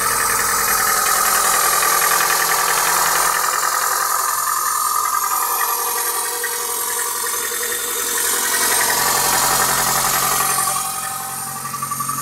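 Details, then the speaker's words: 21-year-old engine, cold idle after a light overnight frost: steady tapping knock about three or four a second, in time with the engine; cause unknown; owner says the engine needs repair anyway. "Хороший стук всегда сам вылезет, да? На 21-летнем двигателе уже и пора бы."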